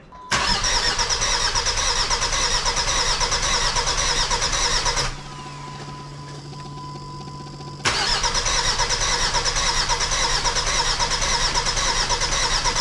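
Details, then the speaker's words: Jeep WJ Grand Cherokee 2.7 CRD diesel, first start after fitting new injectors: catches then runs loud and ragged, uneven beat about two a second, weird clunk, faint lumpy miss, lots of black smoke; rough running, owner suspects a miss and diesel leak. "runs. I'm hearing a weird clunk noise, but it starts. There's smoke. There's lots of smoke."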